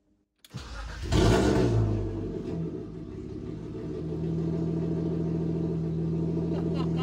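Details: BMW E36 after 8 months in the garage and a poly bushing and rear suspension rebuild, fuel pump primed a few times: brief crank, catches and revs, then settles to a smooth steady idle; starts cleanly and runs normally.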